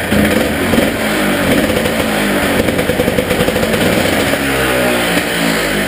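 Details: Honda Odyssey FL350 single-cylinder, first start after carburetor cleaning (main and slow jets clogged): catches and settles into steady even beat with light throttle blips; runs cleanly.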